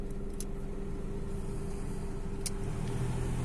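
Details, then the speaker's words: Car AC blower fine on speeds one and two, noisy from three, terrible at four with vibrations felt in car, steady droning hum with low whine; cause unknown; blower noise at high fan speed. "and in number four is terrible the noise okay that noise is you know awful and i even can feel some vibrations here into the car"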